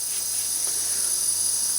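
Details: Long-abandoned Stuart D10 (double 10 V) model steam engine turns freely. Steady high hiss of air blowing straight through, unchanged with crankshaft position, despite oiling. Pistons not sealing, so no compression; segment or fit problem suspected.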